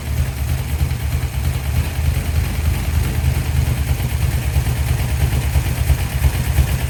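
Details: 1972 Dodge D100 V8, first start after solid roller camshaft and Speedmaster 265cc heads installed. Low lumpy idle with uneven loping beat and occasional stumbles: rough running, cause not pinned down.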